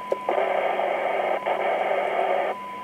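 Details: ICOM IC-7100 being repaired for no receive on VHF: after the fault is found, a clean, steady test tone stands well above a quiet hiss with no fading or crackle. The VHF receiver now gets a strong signal.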